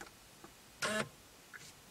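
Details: C5 Corvette, key off, column lock commanded via GM Tech2 scan tool: in a quiet cabin one short sharp whirr-click about a fifth of a second, the column lock actuator cycling normally.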